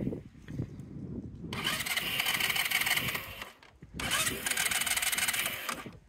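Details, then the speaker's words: Sym Jet 14 fuel-injected scooter, hot, with starting trouble and sporadic rpm fluctuation: fast even cranking, never catches; suspected ECU overheating, compression, crank sensor and fuel pump considered, valves to be checked after cooling. "man hört schon dass er will aber nicht kann"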